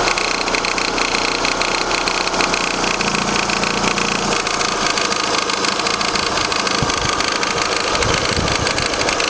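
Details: Vauxhall Astra Mk4 1.6 16v petrol, 44k miles, idling with fast busy tapping and a faint buzzing vibration; cause unknown.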